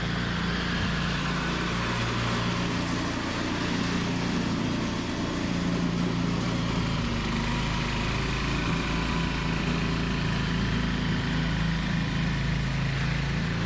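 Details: Toro 521 snowblower running after replacing a blown drive belt with a tight new one. Small engine at steady, even speed with a smooth exhaust note, no squeal or slap; works great.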